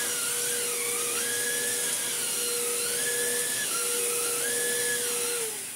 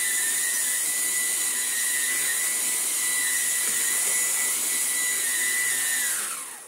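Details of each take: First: Vax Blade 4 vacuum cleaner being restored, filter still heavily clogged: clean, steady high motor whine with strong even airflow, no rattle or labouring; normal running. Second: Vax Blade 4 stick vacuum being restored: a steady, high-pitched motor whine with a strained, choked tone, then it spins down; the filter is still badly clogged and restricting airflow, though suction works well.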